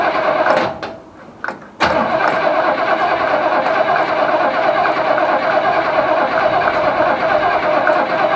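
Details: Holden HQ Ute engine first start after sitting 7 years, fed from a jerry can via fuel pump hose: brief cranking, then catches and settles into steady, even idle with no knocks or misses; starts and runs fine.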